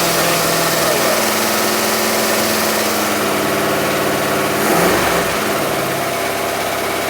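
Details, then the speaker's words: Steady, even V8 idle with a smooth burble and a slight swell near five seconds from a barn-find 1960s Bristol 408 with a Chrysler 5.2 V8, revived after long storage; runs clean with no knocks or misses, though the dynamo is sparking. "that sounds all right listen to that [Music] that's lovely yes it is actually that is really lovely sound nice sorry does it sound nice it it sounds great actually"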